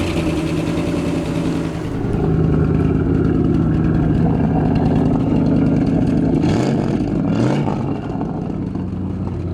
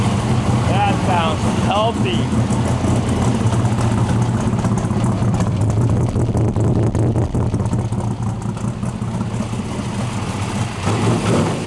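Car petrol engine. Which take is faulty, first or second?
first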